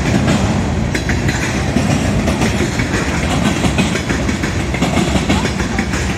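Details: Southbound CSX freight at South Beech Street crossing, Oxford, OH, picking up speed: steady rumble with irregular heavy wheel clacks, no engine noise; onlookers suspect a bad spot in the track, unconfirmed.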